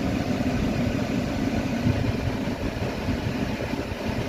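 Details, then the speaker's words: Hyundai Venue BS6 three-cylinder petrol with check engine light on and engine not revving past 3,000 rpm: rough, lumpy idle with uneven low thrum; scan showed one cylinder dead, found to be cylinder three. "Scan போட்டு பார்த்தோம் Mona cylinder work ஆகல ஆனா double part காட்டுக்குது"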